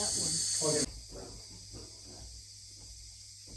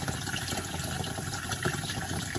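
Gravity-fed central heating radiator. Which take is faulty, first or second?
first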